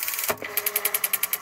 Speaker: yeah that's lubricated clean lubricated and functioning perfectly and that's what everybody wants that sound